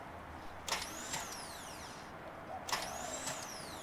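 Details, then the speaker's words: Car with the wrong flywheel and clutch fitted, starter newly installed after being cut to fit; two short bursts of high whine rising and falling with no cranking, the starter spinning freely without engaging the flywheel. "That should be in the car. But we took it out only because it's the wrong one. Turns out I've gotten the wrong flywheel plus clutch."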